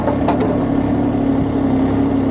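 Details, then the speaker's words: Takeuchi TB230 mini excavator after replacing the failed track drive motor: steady hydraulic hum with faint constant whine, no knocking or grinding; track now moves as it couldn't before, old motor was faulty. "looky there see it wouldn't do that before that motor must have been messed up"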